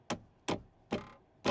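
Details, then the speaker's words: New Tesla Cybertruck cabin: four sharp, hollow clacks at uneven intervals over bumps from a loose interior piece. Owner thinks it needs vibration dampening; cause not confirmed. Interior trim rattle. "you hear that when I hit bumps you hear that noise that rattle so I put in a request for that"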